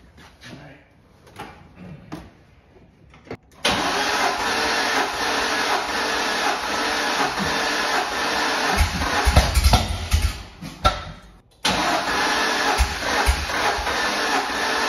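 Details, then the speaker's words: Corvette C6 Z06 V8, first start after reassembly with new intake gaskets, throttle body seal and O2 sensors: long cranking, then rough lumpy running that cuts out; ran on only about three cylinders, compression in three. "all right so we had little to no luck getting this thing running it did run on three cylinders or so I had compression three cylinders"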